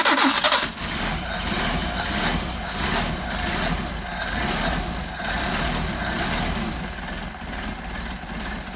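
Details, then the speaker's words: Cold engine on Solex 44PHH carburetors, started with a quick squirt and choke: brief crank, then it catches and settles into an even idle with no misses. This is a normal cold start before warming up to adjust. "not bad for cold carburetors so in order to test the uh adjust the carburetors we have to get the engine warmed up"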